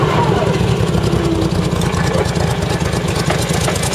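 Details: Striker FV102 Swingfire CVR(T) tracked vehicle engine at idle, August 2010: uneven stumbling idle with irregular low thumps, misfiring badly; cause was a stuck valve, engine later replaced with a spare.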